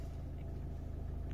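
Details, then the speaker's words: Ford Mondeo MK5 2.0 TDCi DW10F diesel, about 370,000 km, after an oil pump repair for low oil pressure faults: starts instantly and settles to a smooth, even low rumble, no knocks; oil pressure about 2.5 bar at idle, near 6 revved. "Okej, przeszło pomyślnie. Auto odpala od strzała."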